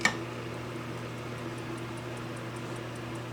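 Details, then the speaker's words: Wells-Gardner K7400 25-inch arcade monitor chassis on first power-up through 75 W bulb limiter: faint steady ticking about five per second over mains hum; B+ not reaching usual 180 V, power supply fault. "oh it's ticking right now we don't have usually goes to 180 volts we've got something wrong in our power supply"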